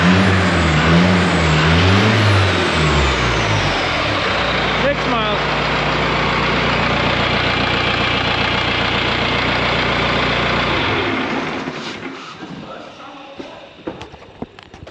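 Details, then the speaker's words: 4BT Cummins diesel in a Ford Bronco, first start, cold weather: even diesel clatter at idle about 220 beats a minute with faint turbo whistle before shutdown; sounds healthy, normal. "oh you don't like that Big Turbo Jet whistle no it sounds good but I was going to say it sounds really weird"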